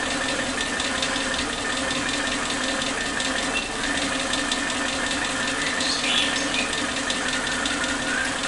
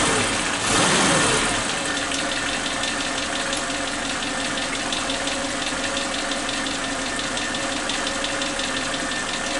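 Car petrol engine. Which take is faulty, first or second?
first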